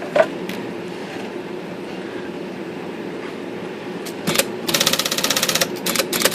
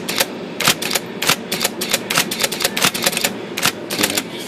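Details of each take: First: IBM Selectric II with rotary backspace, after adjusting the backspace that was stalling: quick bursts of sharp clicks as the carriage steps back repeatedly and powers right through; normal backspace operation. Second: IBM Selectric II typewriter with rotary backspace, in both 10 and 12 pitch: quick uneven clatter of repeated backspace strokes, some dull and short where the carriage fails to move back. Backspace stalls intermittently and needs adjustment.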